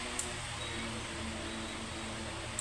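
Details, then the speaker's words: Electric fan at speed settings after spraying WD-40 on the worn, scored shaft and bushing: quiet, steady whir with faint low hum and no repeating clicks; a temporary fix, shaft and bushing still need replacing. "So napapansin niyo no wala na yung lagitik. Oo nga. Kasi na-sprayan natin ng WD4 at lalagyan na lang natin ng langis yan."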